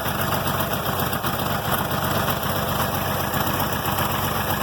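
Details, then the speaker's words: 706 tractor with D436 diesel, first start in months after sitting outside all winter at about 40°F: heavy clatter at idle with an uneven, stumbling beat and skipped pulses, a cold misfire expected to clear. Oil pressure is good. "Misfiring, hear that? They'll start purring here shortly."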